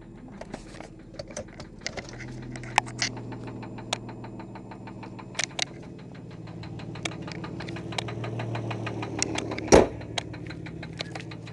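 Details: Infiniti J30t 3.0 at idle: sharp metallic knocks over a low engine hum, repeating with rotation; rod knock from a worn connecting rod bearing.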